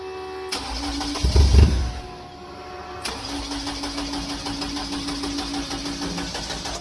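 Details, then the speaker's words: Beetle cranking after injector grounds were redone: starter spins in an even chugging rhythm but it never fires, a crank-no-start with no injector fuel and the fuel pump relay not switching; owner suspects low battery voltage. "still nothing I'm wondering if I'm just too low of [Music] voltage I guess I'm going to have to try maybe use a better battery see if that makes the difference"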